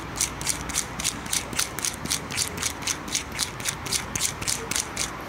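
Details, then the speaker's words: Honda Civic Si right-side axle auxiliary bearing, NTN, spun by hand unloaded: rough, gritty ticking about four times a second even with no load; worn bearing. "assim sem carga mesmo fazendo barulho imagina com carga vai fazer barulho para caramba né"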